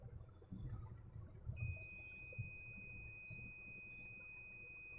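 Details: Gigabyte H61 motherboard with a no-power fault and overheating components, probed with a multimeter. A steady high-pitched continuity beep over faint room noise; the rail is only charging a capacitor, not shorted.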